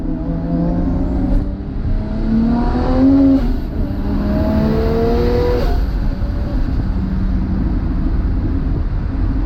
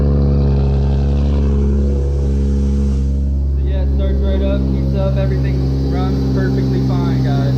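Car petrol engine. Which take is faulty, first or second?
second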